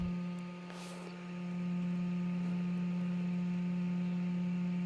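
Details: H4 LED headlight bulb turbo cooling fan, in car: steady even low hum without rattle, buzz or wavering; fan runs normally.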